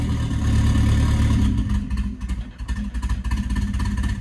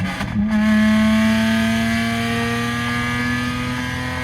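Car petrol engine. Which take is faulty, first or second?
second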